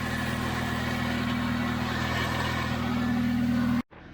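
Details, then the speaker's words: Chevy Spark idling in neutral with clutch released, engine bay; fast uneven chatter about four per second that stops when the clutch is pressed or a gear is selected; suspected worn clutch release bearing; car won't engage reverse or fifth. "so with the clutch depressed release the clutch you can hear it launching away in the release sounds like the release bearing to me or something along those lines is not happy at all"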